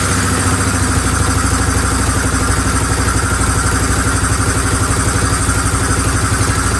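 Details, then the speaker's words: 2014 Sportsman 570 ATV after top-end rebuild and exhaust gasket swap to old one: loud single-cylinder idle, steady clatter about four beats a second with sharp puffing edge; owner suspects still some exhaust leak, source unknown, exhaust loose, otherwise runs fine. "exhaust okay so it looks like it might still be leaking some exhaust not sure what from but now obviously I can't touch the exhaust cuz it's hot seems to be running fine though"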